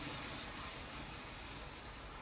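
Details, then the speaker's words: 2002 Suzuki SV650 front wheel spun by hand after failing its MOT: steady gritty hiss and rough crackle, not rolling freely; worn front wheel bearings, replaced with new ones and it then passed the retest. "you can hear there's quite a lot of grit and it's just not rolling as well as it should do."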